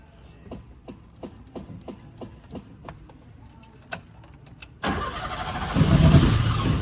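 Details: Old Fiat 147 with carburetor, pedal pumped repeatedly while cranking: about three cranking beats a second, then engine catches unevenly, runs rough, sputters and misfires; flooded carburetor, possible electrical fault, carburetor mouth eventually ignites.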